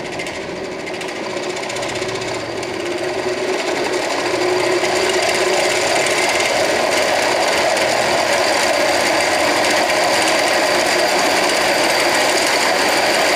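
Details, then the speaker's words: Handmade electric scooter, engine replaced with 48V 1000W BLDC motor: steady whirr rising with throttle plus fast regular rattle about four per second from a slack chain touching something; chain needs tightening. "लेकिन इसका चैन क्या है tight करना पड़ेगा चलो यहां पर चैन इसका टच हो रहा है जिसके कारण"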